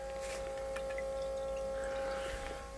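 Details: Holley Sniper EFI fuel system just completed: fuel pump holding 60 psi, rubber isolator fitted around pump; faint steady mid-pitched hum with soft trickle of fuel through the working return line, normal fuel pump operation.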